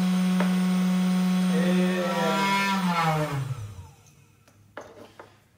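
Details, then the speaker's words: 500 W CNC spindle at moderate working speed, then coasting down: a smooth, quiet, steady hum winding down evenly with no grinding or rattle; healthy and quiet enough to work beside without ear protection. "um exemplo nessa velocidade aqui ó eu já consegue trabalhar tranquilamente e como eu disse sem questão de ter aquele barulho"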